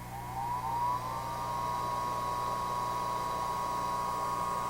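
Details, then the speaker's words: Prototype quiet hair dryer with porous foam-ring rotor and five-pole DC motor: spins up in under a second to a smooth, quiet, steady whir with no pulsing or rattle, at roughly standard-dryer low-speed airflow. "As you can hear, it's uh quite quite quiet. This is running at about uh what a uh standard hairdryer would be at about on low speed."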